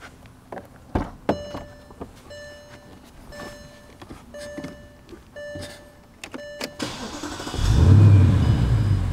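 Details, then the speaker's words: 2014 Bentley Continental GT at idle after starting: a steady shrill whistle rises once the engine settles. "john was driving his car and he hears this whistling noise and he's like what in the world is that i'm going to start the engine and let you guys hear it once it settles down to an idle you'll hear it"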